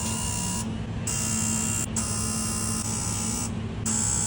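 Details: Diesel truck after reseating an unsecured injector connector (number five had shown an open coil circuit): a string of strong, even electrical buzzes with short pauses, each injector answering cleanly in the buzz test.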